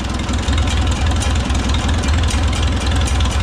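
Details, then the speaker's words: Oliver 66 tractor with replacement Marvel Schebler TSX carburetor, adjusting idle mixture screw by ear: deep, even low exhaust beat, no hunting, stumbling or labouring, screw at initial position sounds right; normal idle. "Right about where the screw is, where I had it initially, sounds pretty good."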